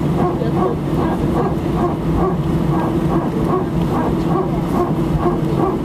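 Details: Air France A319 taxiing for takeoff from Sofia, passenger-seat recording (seat 18F): rhythmic barking or grunting about twice a second over the taxi hum; steady, cause unknown.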